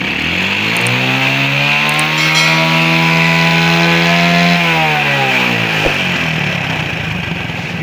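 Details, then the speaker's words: Tosa motorcycle that backfired from the exhaust when closing the throttle and going downhill, after cleaning the very dirty AIS (air injection system): throttle revved and released, dropping smoothly to idle with no exhaust pops. "Jadi, setelah membersihkan area AIS, motor tersebut tidak lagi mengalami masalah letupan di area knalpot. Sekarang sudah ... berfungsi dengan baik."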